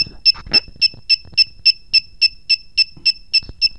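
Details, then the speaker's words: KWS-AC301-100A panel meter reading about 231 V: sharp, high beeps repeat evenly, about 3.5 per second, nonstop. The over-voltage alarm is tripping because of how the threshold was set (230 V mentioned, 250 V claimed). "Hiện tại thực tế nó 231 phẩy mấy vô lấy nhưng mà mình cài đặt là 250v thì cứ kêu tít tít"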